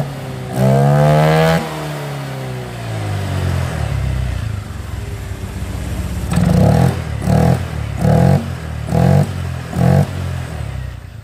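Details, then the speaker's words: Honda Vario LED automatic scooter with a broken CVT part that kept it from moving, after CVT block reassembly: engine started, rear wheel turning, revs cleanly then short even throttle blips with no clatter or slipping; normal revving. "we can immediately rotate and the sound can be smooth"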